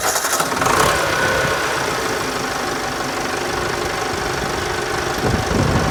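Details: Ford 4040 industrial diesel tractor after new injectors, not fully cold start after glow plugs. Catches and settles into a clattering idle near three beats a second, the usual diesel knock; normal start and idle.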